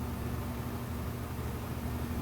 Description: The humming you hear in this washing machine troubleshooting video is normal.